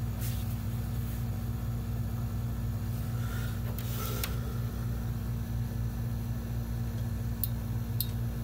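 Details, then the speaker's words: Monoprice Mini 3D printer during servicing: the head homes down for bed calibration, needed after every nozzle change, with a steady low motor hum and a few light ticks. Normal movement. "that's what it should sound like just go down and thick and it's pretty tight"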